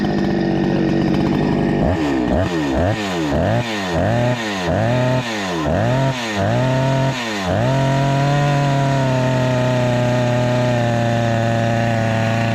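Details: Husqvarna 288XP chainsaw, rebuilt with new cylinder and piston on a swapped crankcase: snaps through about eight quick clean revs, then holds a steady high scream without bogging; running properly after the lean condition was addressed.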